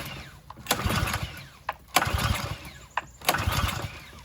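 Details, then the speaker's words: Harbor Freight Predator pressure washer engine, lightly used with a like-new air filter, choked, switch on, fresh gas and a squirt of fuel added: pull-start bursts about every 1.5 seconds that never catch; clogged carburetor. "and I just put fresh gas in there a little squirt squirt so we got a car clogged carb somewhere in here so that's the next thing to worry about"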